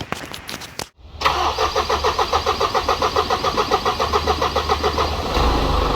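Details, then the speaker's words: Isuzu NPS truck right after transplanting a Euro 5 engine in place of the Euro 4, no radiator or intercooler fitted, brief run: diesel cranks, fires and settles into rhythmic clatter about three and a half pulses a second; runs fine. "so she runs but no radiator or intercooler so we can't keep it running for too long but i just started up again just to make sure"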